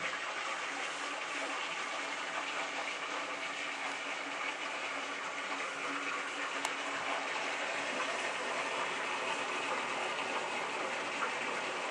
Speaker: this is the moment of truth where we're going to turn on the cold water and start filling the tank you can hear it pouring into the tank now